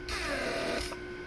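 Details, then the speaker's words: Mercedes S-class W140 door lock pump after repair, running to build vacuum then switched to pressure for unlocking: even steady electric buzz with airy hiss, strong then easing; motor, pump and valves in great shape, pressure above minimum spec, normal pump operation. "so the motor and the pump and all the van defaults they're in great shape creates pressure in vacuum really fast so this is awesome"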